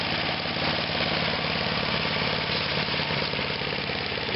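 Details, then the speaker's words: 1998 Yard Machines by MTD chipper/shredder with 10 hp Tecumseh engine, given more throttle while leaves are fed into the hopper: steady high-throttle roar with busy shredding chatter, no misses or knocks; running fine under load. "can hear them shredding."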